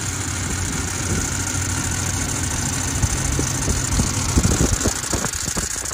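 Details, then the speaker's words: 2008 Range Rover Sport 4.4L V8, first cold start of the day: rumbling idle with faint high squeal at start that owner says always happens, cause unknown. "don't mind that squeal either I don't know why it always sounded like that when it first starts right here my first start up for the day"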